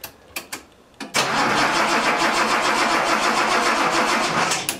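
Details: Datsun 280Z cranks but won't fire: a few clicks, then long steady starter churning that never catches, after fixing a loose distributor connection, cleaning spark plugs and adding a drop of fuel.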